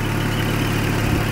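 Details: 1994 Toyota 22RE four-cylinder from a parts truck, engine reported good: low, even idle with steady hum and no knocks or misses; starts slightly hard, possibly water in the distributor cap.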